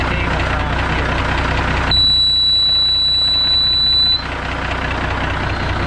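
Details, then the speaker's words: Kenworth K100E Aerodyne cabover diesel idling with about 60 psi air built: loud high-pitched whistle/ringing for about two seconds, air leaking at the 13-speed transmission splitter valve, before replacement. "my ears are about that from that ringing that high-pitched ringing that just was going on there ridiculous"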